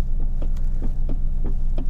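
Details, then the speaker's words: Lexus GS400 idling with the accelerator pedal pressed: a low, steady idle throb whose RPM never climbs because the throttle body is not responding. "you can see the RPM is not moving so let's go into the hood so we can see what we're looking at"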